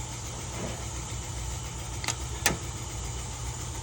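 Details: Range Rover Evoque petrol engine after timing chain, tensioner, sprockets and oil pump replacement, fresh oil, 34 degrees outside: smooth, even idle with no timing chain rattle at start.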